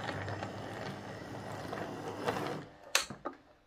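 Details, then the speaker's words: Hornby R150 Class B12 model locomotive, formerly very noisy, after fitting replacement motor part X8777SK: soft, even gear whir, no ticking or grinding, running in reverse; smooth quiet running. "let's just see how this runs now so as you can hear that's running quite quiet um let's just back it up"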